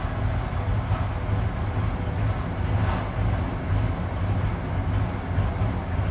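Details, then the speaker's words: 1994 Ford F-150 4.9L straight six, 5-speed manual, cold start: lumpy uneven idle with irregular low thumps, smoothing after about a minute; attributed to a failing idle air control valve, replaced. "we are going to try it again see if we have a rough idle on start there we go draw final it should smooth out here in another 10 seconds 15 seconds"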